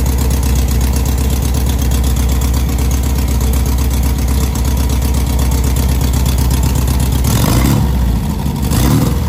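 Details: 1970 VW Beetle air-cooled engine just rebuilt, first running: steady, even thrum at about four beats a second with a brief rev near the end; runs smooth and healthy.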